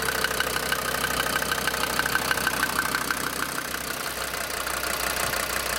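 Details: DB29 diesel at rough idle, foam in fuel and small bubbles in return line after about 3 minutes, not purging: sharp regular ticking about three knocks a second; injector knock, likely from air in fuel.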